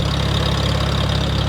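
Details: 1947 Farmall A just restarted after burnt ignition switch was found, warming up in neutral: low, even idle thump, steady firing, no knocks or misses; running smoothly.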